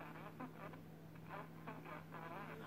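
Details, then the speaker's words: 1931 RCA P31 battery portable radio under repair, small antenna coil only: faint, garbled, buzzy station audio over a steady low hum, badly distorted; owner suspects the volume control. "so it does seem to be you know picking up station it's just the audio is terribly distorted I'm going to take a look at that volume control something definitely seems wrong there"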